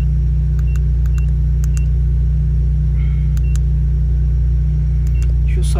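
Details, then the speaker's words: Fiat Strada 1.4 Fire Flex idling: deep, loud droning rumble from exhaust blowing through a holed, perforated rear (final) silencer. "que você está ouvindo mais questão é porque o escapamento do carro final o silenciador final ele tá curado"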